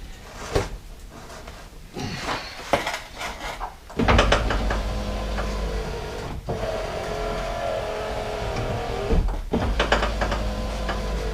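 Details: Lincoln Continental / Mark III-type Ford power window: a few door thumps, then a steady low whir that runs evenly, pauses and reverses. The motor works normally after the stripped gears were repaired.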